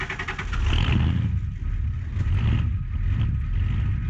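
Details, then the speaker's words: IDI diesel truck, cold start in snow, with a good battery but bad glow plugs; the fuel pickup has a suspected crack that sucks air below a quarter tank. Short laboured cranking, then it catches and clatters roughly as it revs: hard cold start. "this thing is pretty hard to start in the cold it needs glow plugs but it does have good battery"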